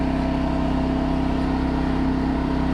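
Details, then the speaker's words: New 2200 W generator running a 5000 BTU air conditioner: steady, even drone with constant hum and no surging or misses; handles the AC load better than hoped. "but if that's running back to more than I could have uh hoped for as far as it running this thing"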